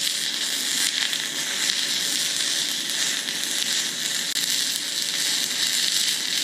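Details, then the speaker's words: YesWelder Firstess MP200 stick welding 6010 rod at 100 amps: a constant crackling arc with one sudden brief dropout, unable to hold a long arc and cutting out even when pushed into the puddle. "you can't you can't really long arc it like you would want to with a 6010 and it did even even when i had it shoved in the puddle it still wanted to cut out somewhat again it ran it but it could be better"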